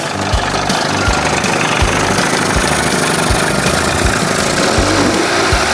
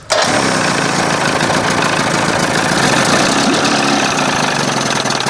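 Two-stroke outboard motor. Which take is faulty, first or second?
second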